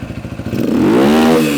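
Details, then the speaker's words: Yamaha single-cylinder dirt bike fitted with cheap Temu replacement parts, running after repair: idle slightly high, light top-end clatter as revs rise cleanly, quieter and less clangy than with the previous parts; normal running, though carburetor fuel leak later returns (needle not seating). "it's a little noise here in the top end but it's actually quieter and sounds better than it did with those other parts in it it's not as clangy or bangy"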